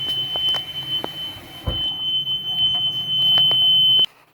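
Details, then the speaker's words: Homemade RV black/gray tank alarm (voltage comparator, buzzer) tested with running water: shrill continuous high buzz for about four seconds, then cut off when unplugged; tank-full alarm sounding, signalling to pull the dump valve before flooding. "okay i have to unplug the power to it because it's very loud but anyway when that alarm goes off i know to go outside and pull the the great the the dump valve get the water out and we have no flooding"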